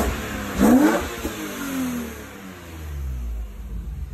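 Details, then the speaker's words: BMW E36 M3 S52 engine at first start under new ownership; sharp rev climbs and falls cleanly to redline, earlier lifter tick gone, engine sounds healthy. "so i just want to point out i revved it for real and listen to the lifter tick it's gone one more time one more time"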